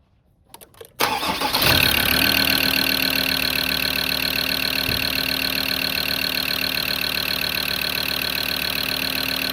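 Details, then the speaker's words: PX2 Ford Ranger 3.2 diesel after new injectors, rocker cover gasket, air bled from lines and injector recoding: starter whirrs, catches within a second, even steady diesel idle with no knock or misfire; smoothest since owned. "Um and then started it and um Jesus, it sounds smooth. It's the smoothest it's ever been since I've actually um actually owned it, so let me uh let me start it up."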